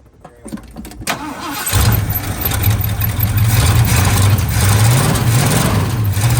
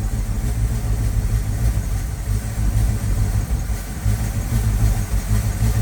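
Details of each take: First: 1979 Ford F350 dually, 400M small block V8, auto, after sitting about 22 years: catches after brief crank into deep even rumble, picks up cleanly on throttle blips; sounds much better after plugged exhaust found as cause of rough running. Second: 1979 Ford F350 dually, 400M small block V8, sat about 22 years, warming up: deep lumpy uneven idle with choked breathy note, poor throttle response; owner suspects vacuum leak at intake, later found plugged exhaust.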